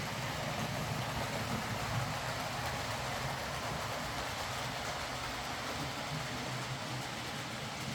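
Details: Hornby R.372 Class A4 "Seagull" model locomotive, tender drive, running after repair: smooth, even whir with steady rail rumble, no knocks, stalls or surging. Stop-start running was likely from excess axle oil spoiling electrical pickup. Runs fine and quiet.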